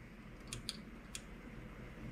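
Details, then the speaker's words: Creality Ender 3 Pro after upgrades to a silent 4.2.7 mainboard and a new hot end, auto-homing: barely a low hum and a few soft clicks, no stepper whine; smooth and quiet. "silence not a single wine not a single anything oh that's beautiful now this machine is one is among the quiet machines you can't hear a single thing that's beautiful and that's what we wanted"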